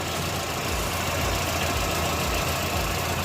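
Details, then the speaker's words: Dacia Lodgy idling right after valve clearance adjustment; quiet, steady hum with no sharp top-end ticking, the earlier loud tick gone: normal idle. "Ayan, medyo tahimik na oh. Tahimik na, hindi na yung kagaya kanina na kwan, malakas ang lagitik. Ngayon okay na."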